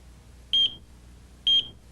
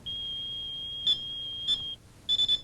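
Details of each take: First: AT&T security system 8000 central controller trouble warning: two short high-pitched beeps about a second apart, repeating every 40 seconds, signalling a transmitter failed to check in; silenced by pressing Messages. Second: AT&T security system 8000 accidentally triggered by opening a window in the home state: steady high alarm tone stops, then short key beeps as the three-digit code is entered; audible alarm silenced normally.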